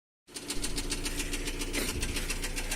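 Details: Nissan Almera N16 four-cylinder at idle, about 3000 km after new rings and valve stem seals: steady crisp top-end ticking, evenly spaced over a smooth hum, no effect on speed; solved, intake valves were set too tight.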